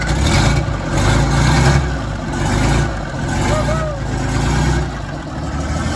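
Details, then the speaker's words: 1941 GM Silversides bus, Detroit Diesel 6-71 two-stroke, first start in many years, cold: loud rough low rumble at steady idle, muffler apparently unhooked or straight pipe; oil pressure came right up to 40 psi, running fine. "Wow. It runs. Yeah. I'm gonna say this muffler is not hooked up at all, or it's just a straight pipe."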